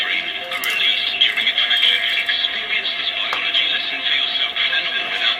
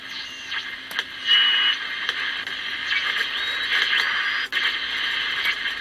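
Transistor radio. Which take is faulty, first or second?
second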